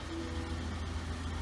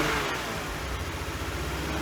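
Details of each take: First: 1999 BMW 328i after fuel pump, battery and air intake hose replacement; steady even idle at 800–900 rpm, smooth low exhaust pulse, no taps or knocks, normal idle; some dash lights on. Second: 1999 BMW 328i after a new fuel pump, battery and intake hose: starts and runs with an uneven wavering hum but won't idle without throttle; owner suspects a missing cylinder or leftover bad fuel.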